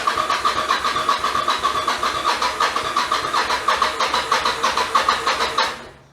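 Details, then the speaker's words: 1996 Yamaha XV750 Virago bobber with its twin carbs refitted after a single-carb conversion, cranked cold without choke: the starter churns in steady pulses about three a second for five seconds and never fires. It is a hard cold start, worse than before. "t's changed since putting the twins back on is now it doesn't start when it's cold as good. It still does start, obviously, but not as good as it used to."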